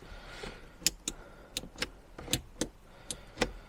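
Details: Abandoned Jaguar XJR-S, first battery connection after sitting: crisp paired relay clicks repeat about every three-quarters of a second, steady and even; hazard flasher works.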